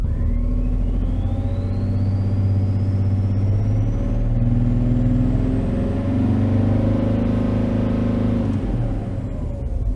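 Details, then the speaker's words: 2011 BMW X5 M57 diesel, over 450,000 km: uneven lumpy idle that evens out as revs climb; ISTA smoothness test shows cylinder 6 at 5.3, beyond the 4.0 critical limit; injector misfire on cylinder six. "so Cylinder 6 is 5.3 and the critical range is lower than -5.0 or above 4.0 so it's already critical"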